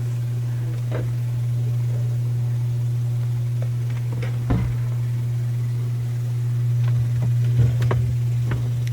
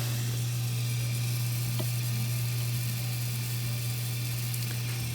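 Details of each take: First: Miele dishwasher during the fill cycle: a steady low buzzing "machine gun" rattle with sharp clicks. The fill valve is probably not fully opening and chatters, causing slow fill and the intake/drain light; the fix is replacing the fill valve. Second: Miele dishwasher after a generic replacement fill valve was installed to cure a machine-gun fill noise, slow fill and intake/drain error: steady low hum with a soft water hiss, filling normally with no chatter.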